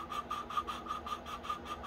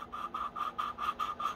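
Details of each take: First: Honda GX160R valve lapped with grinding compound using a suction-cup tool twisted back and forth: even rubbing strokes two or three a second with no grit or catching; the valve seat is fully lapped. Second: Honda GX160 valve lapping by hand with suction-cup tool and grinding compound: rhythmic gritty scraping about five strokes a second, still rough and uneven; valve seat not fully lapped in, continue until sound is smooth and uniform.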